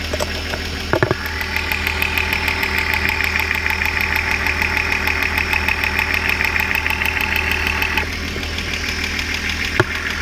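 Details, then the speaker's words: Idling engine heard through a stethoscope microphone on a screw at the exhaust side: sharp, steady metallic tick about 1.6 times a second, loudest under the exhaust camshaft, a hydraulic lifter tick. "Je Si je me mets là, on entend le clic clic mais c'est bien plus important quand je me mets sur une vis côté échappement."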